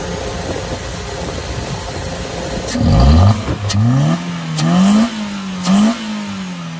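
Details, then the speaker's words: Proton Saga FLX 1.3 just fitted with a 1.6 throttle body: on start-up it catches, climbs quickly and hangs at raised revs with a few surges. High idle after the throttle body change; needs a throttle body reset. "Maknanya bila start mula-mula tu tak ada RPM ni jadi naik. Sebab Sagai FX kalau kita servis throttle body, tak kira lah servis throttle body ke tukar ke, bila kita start tu dia akan naik RPM tu."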